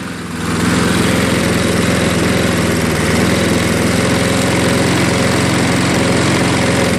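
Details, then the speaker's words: Craftsman 22-inch 6 hp Briggs self-propelled mower, just started with carb cleaner after carb bowl cleaning: steady but slow, loping, slightly uneven idle; low idle speed, RPM to be raised. "Gonna have to adjust that a little bit. Get the RPMs a little higher. There you go. That's low idle right there."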